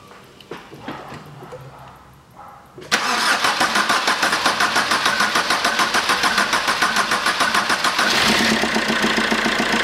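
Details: 2008 Fiat Doblo Cargo 1.3 Multijet diesel after repair of a ripped-out clamp stud for injectors 3 and 4, started without the airflow meter fitted. Brief crank, catches cleanly, then an even idle with steady light clatter and no hiss; the injectors stay dry.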